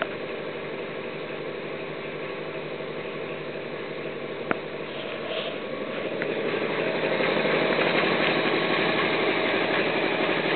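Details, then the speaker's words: Homemade belt-driven air compressor with PLC control, belt tensioned by a turnbuckle, running from about 98 to 108 psi: even, steady chug at about four beats a second, slightly louder as pressure builds; normal running. "not super loud if i had a door on there it'd be actually pretty quiet"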